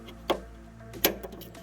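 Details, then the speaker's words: VW Passat B5+ trunk lock after repair and reassembly: two crisp, clean clicks about three-quarters of a second apart, no grinding or hesitation; lock catches properly with the normal closing sound, unlike the faulty lock. "і як бачимо багажник закрився характерний звук закривання присутній і звук відкривання інший"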